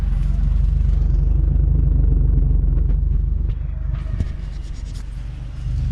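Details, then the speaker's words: Free Jeep Cherokee, first time running after sitting a long time, still on really bad old gas, no check engine light; deep, lumpy, pulsing idle with no steady rhythm; rough idle, owner suspects the old fuel. "we got her idling on her own doesn't have a check engine light I mean this thing's running shaky you know one it hasn't ran and I can't tell you how long and two it still got really bad old gas in there"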